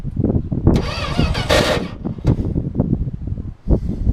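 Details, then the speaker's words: 1979 Dodge D100 Adventurer, old starter, no fuel yet at carburetor: sluggish uneven cranking with brief starter whine, never catches; starter drive tired, battery swapped for faster crank, starter to be replaced. "Starter drive's getting tired. Alright, let me see if it's getting any fuel into the carburetor now. No fuel yet. We're going to swap batteries. I'm going to put a different one in it to get it to crank a little faster."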